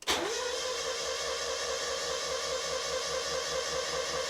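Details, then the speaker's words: Non-running Mazda MX5 (Miata) with no error codes, in neutral with the fuel pump primed: fast, even starter whine with no compression rhythm and no firing. Sounds like no compression at all; timing belt fault suspected, not confirmed. "that sounds like there's absolutely no compression. So no compression whatsoever."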